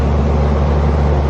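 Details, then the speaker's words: Neglected central AC outdoor condenser in Orlando, just restarted after rewiring and running to dry out before gauges, refrigerant and leak sealer: a loud, steady compressor and fan hum with no rattles or surging; normal running. "Okay. So now I'll let it run for a little while."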